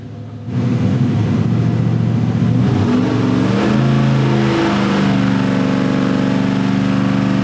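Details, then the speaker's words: 540 cubic inch big-block Chevrolet V8 with two spark plugs per cylinder, idling on the dyno: idle note lifts and smooths as the second ignition is switched on, so the idle picks up rpm. "So we'll start this up on one ignition and then turn on the second edition while it's sitting right there. Right. All right. So, you can hear it actually just picks up RPM."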